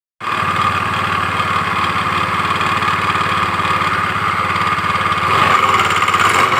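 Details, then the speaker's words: Honda Beat FI CVT scooter idling with a rough, uneven klotok-klotok clatter, worse when riding; rough noise at idle suggests a worn variator roller housing, checked before disassembly. "dengan kendala suaranya ini kasar klotok-klotok ini kalau jalan ini suaranya lebih parah"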